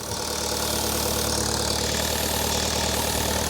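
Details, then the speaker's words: 2012 Vauxhall Corsa VXR at idle, first start after a fully forged engine rebuild: a steady airy hiss over the engine as air is sucked through the rocker cover breather diaphragm. Vacuum leak; fix is a new rocker cover with gasket. "when I undo the filler cap it's sucking and there's a lot of pressure behind find it now that's because I found the leak"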